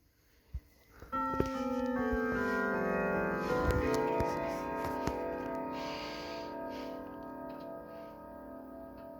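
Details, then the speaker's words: Sligh triple-chime grandfather clock, recently repaired, selector dial set to Whittington: tuned run of chime notes at quarter past, each strike clean and decaying smoothly; normal Whittington chime. "okay so we've heard westminster we've heard st michaels now we're gonna hear whittington so here we go quarter past"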